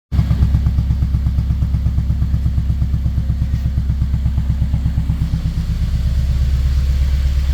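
Engine running with a strong, fairly regular low pulse near three beats a second and an uneven stumble; sounds like a misfire. Cause suspected, not confirmed.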